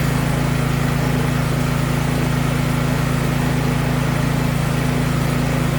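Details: Briggs & Stratton 1022E snowblower that had been surging, after carburetor cleaning: the single-cylinder engine holds a steady, even low beat with no hunting or surging, running like new.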